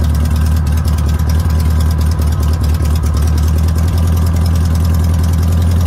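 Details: VW notchback, sat since 2020, rebuilt 32 PHN carburetor, running poorly at first; steady fast even drone with deep low throb, no dips; idle set high to cover poor running; high idle speed.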